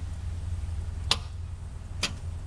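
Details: Truck being cranked for the first time after months of wiring work: two sharp clicks about a second apart with no cranking; starter solenoid clicks but motor won't turn, battery voltage holds; owner suspects a corroded battery cable.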